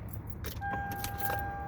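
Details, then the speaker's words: Lexus LS400, 1UZ engine, 242,000 miles: short, steady electric motor hum of constant pitch as the steering column auto-tilts, smooth with no grinding; the tilt motor works, while the telescoping function does not. "auto tilt feature still works the vertical movement of the steering wheel kind of works the telescoping does not"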